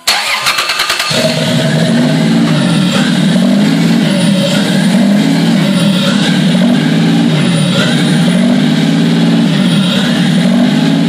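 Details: Toyota 2JZ-GTE non-VVTi engine started on the floor outside the car with basic harness wiring: brief starter chatter, catches within a second, settles into steady even idle with deep drone; healthy start.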